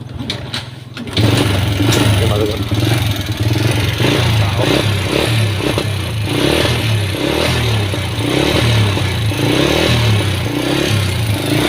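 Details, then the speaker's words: Honda Wave S with a worn engine, white exhaust smoke and a slack cam chain, revved in short bursts. A dry tapping comes from the cylinder head, from a worn camshaft lobe and rocker arm. "อาการของมันคือจะมีเสียงดังแก๊กๆพร้อมนะทุกคน"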